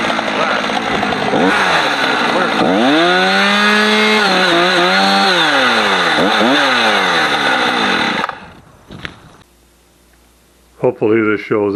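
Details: Husqvarna 455 Rancher chainsaw revs clean and high, sags in pitch biting into a heavy block of big wood, then pulls back up with no stumbling, running normally; earlier power loss was traced to a dirty, discoloured fuel filter.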